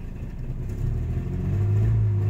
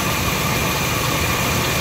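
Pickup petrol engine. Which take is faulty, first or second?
first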